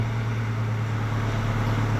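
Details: Nissan X-Trail 2.2 diesel with P0340 no-start, running after a 1 kΩ resistor fitted parallel to the crankshaft position sensor; steady, even low drone with no misses; normal running, fault believed in engine control unit.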